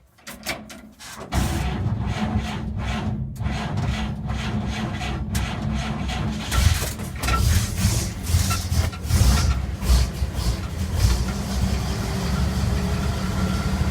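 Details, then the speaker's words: 1947 GMC truck cold start after clutch adjustment, choked with a couple pumps on the gas: cranks, catches within a second, settles into low steady idle with a few uneven puffs; normal cold start, timing and idle not yet properly set. "start it up and see how it goes and uh lately this has been uh starting pretty reliably a choke it couple pumps on the gas"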